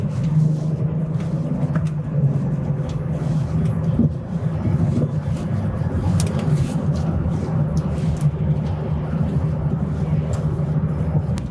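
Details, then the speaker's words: BMW X5 with fully rebuilt N55 engine on its post-rebuild test drive: a steady, even engine drone under road and tyre noise, no knocks or ticks, no warning lights, temperature fine, so the engine runs normally. "All the indications are looking really good. No unusual noises or anything."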